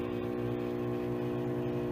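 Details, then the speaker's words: Salvaged roadside microwave powered on: rough, buzzy low hum over steady drone; transformer seems to work but cooling fan sounds awful, bad fan suspected. "This one's got a bad fan. They both power up and work, so that's a good sign. At least the transformers sound like they're working. Listen to this fan. It sounds awful."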